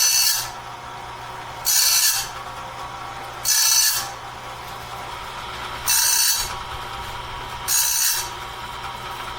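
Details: Clarke heavy-duty sawmill blade sharpener on its first run, doing the first sharpening of a 2-inch-wide, 223-inch bandsaw blade at slow speed, wheel just touching each tooth; light hissy grind bursts about every two seconds over a low motor hum, an even, normal pass.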